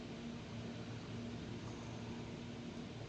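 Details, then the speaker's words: HP LaserJet 1008 after swapping the duplicate copy cartridge for an original: printer sits quietly at ready with a low, even hum, no grinding or clicking. The earlier noise came from the copy cartridge. "इसके वजह से यह पहले आवाज कर रहा था। अब यह आवाज नहीं। यह प्रिंटर रेडी हो चुका है।"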